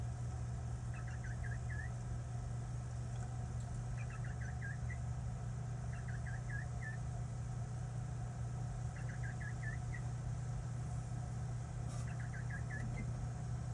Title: PC chirping noise?